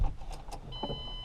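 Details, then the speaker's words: Mustang under rebuild, key cycled after installing a new fuel pump: a few clicks, then a thin, steady high hum that holds, a noise the pump didn't make before. Normal fuel pump priming. "i don't know if you can hear it but the fuel pump is actually making a noise this time around so i wasn't getting any of that last time"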